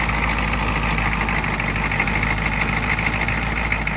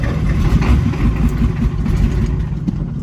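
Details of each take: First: 1987 Ford F-350 diesel started after sitting 8 months, with ether and a weak battery at about 9 volts, no boost needed. Loud, even diesel clatter holds steady at idle with no misses or knocks. Normal idle. Owner says the parking issue is symptomatic of a burnt clutch. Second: 1987 Ford F-350 diesel, sat 8 months, battery charged about an hour (about 9 volts), no ether yet. Rough, uneven low chugging while cranking, a few weak firings that never pick up: cranks but doesn't start.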